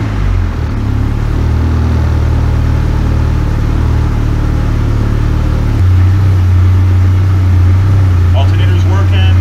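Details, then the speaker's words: Rebuilt K24 engine in AWD Civic, sequential gearbox in neutral, first start after rebuild: steady even low idle, smooth unbroken hum, no knocks or misses. Normal idle. "man everything all right so first start went off really nice once we got everything working uh it seems good"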